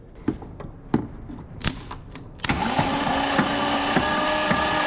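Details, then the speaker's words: 1976 Jeep CJ5 with 304 V8, engine previously locked up and now freed, cranked on the starter before the spark check: a few loose clunks, then a steady, unobstructed spin at about 3.5 turns per second; the crank now turns freely. Normal cranking. "Cranking over. Great news."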